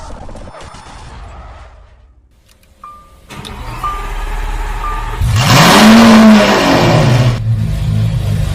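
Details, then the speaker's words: Lamborghini Aventador idling before adding EcoRacing and Nano Oil additives; RPM very unstable, engine note surges and sags instead of holding a steady pitch. "Nah, kita bisa lihat di sini teman-teman semuanya, RPM-nya sangat tidak stabil. Nah, ini kondisi sebelum kita masukkan EcoRacing dan Nano Oil."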